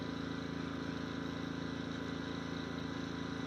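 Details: Westinghouse iGen2500 inverter generator idling in economy mode, heard from about 20 steps away. Faint, even hum with a soft steady pulse; healthy normal idle.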